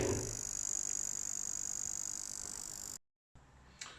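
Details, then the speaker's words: PS4 Pro power supply on the bench: faint steady ticking about four times a second over a thin high hiss. It comes from the supply's single inductor, not the fan; this is the ticking/coil-whine fault before the fix. "Strange, right, so that noise, it's not the fan underneath there. Turns out that it's that inductor."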